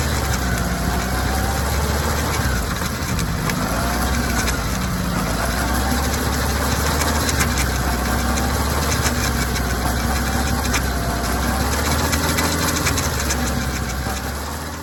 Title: チェーン異音の原因は何だ？ ZR-7S 本編は上の▶️で見れます。